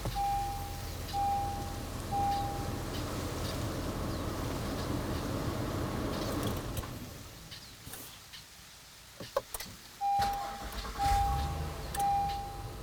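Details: Honda Passport V6, started by the ULIXWH jump starter with the battery disconnected, one of seven starts in a row; quick cranking catches to an even idle, stops, then fires cleanly again. Normal cranking and start.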